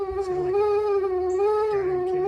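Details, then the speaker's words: 1981 Cutlass (403 V8), unstarted for 2–3 years: steady, high-pitched buzzing whine from the heater blower motor. Owner says there could be a mouse in there; cause unconfirmed. Blower motor whine. "So see if we can't get in here. What a odd noise. The blower motor."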